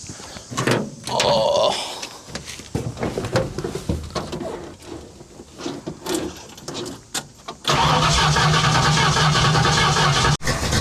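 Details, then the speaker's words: 1970 Ford Falcon with a freshly fitted 750 Holley and no manual choke set up, cold start on a 90° day: a slow crank and a few rough turns, then a steady, even, slightly low idle with no misses. "little slow to crank over. I mean, manual choke that I don't have set up. So, it is what it is. But we'll let that warm up a little bit. I know it's idling a little low right now, but it's ice cold other than the fact that it's 90° out in the sun."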